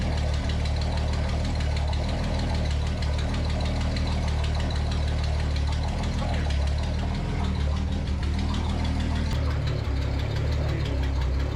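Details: Datsun 280Z that felt sluggish and hot-started poorly: steady, even low idle with a smooth unbroken rumble and no miss or stumble; engine healthy at idle.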